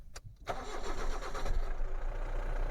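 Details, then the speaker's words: 2013 Mahindra Bolero ZLX diesel, 70,000 km, used-car inspection, start checked for cranking length: brief crank, catches quickly and settles to even idle; healthy normal start. "और sound में sound check करते time आपको यह भी देखना है गाड़ी जो है कितने सेल्फ के बाद स्टार्ट हो रही है कितना राउंड ले रही है"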